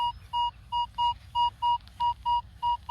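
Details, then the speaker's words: Evenly spaced double detector tones, same pitch every pass, no breakup, numbers relatively stable, at an old park (since 1832); shallow target, confident coin (maybe 2-cent piece or penny): clean stable target signal. "when I'm talking about a beautiful signal this is what I'm talking about is how clear that [Music] is relatively stable in the numbers turn"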